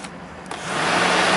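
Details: 2004 Toyota Highlander, 120,000 miles: half a second after a click, the cooling fan whooshes to full speed and holds a steady drone with the key off; fan stuck on, draining the battery, traced to the number one fan relay circuit and an unusual wiring fault.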